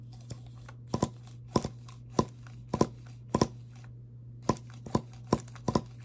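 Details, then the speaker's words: HPI RS4 RTR 3 nitro engine after refitting the back plate, cooling head and glow plug: steady hum with paired sharp pops as it turns over; gained compression, likely no longer leaking. "It did not do that before. It's got... I don't think it's got an air leak anymore. It's gained some compression."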